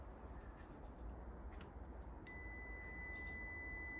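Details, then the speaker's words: 2002 Mercedes CLK 230 W208 convertible soft-top microswitch tested with multimeter continuity while roof intermittently fails: light rustling, then steady high continuous beep when switch is operated; microswitch working. "you can hear my multimeter just working there when I open the micro switch so that kind of tells me that this micro switch is working"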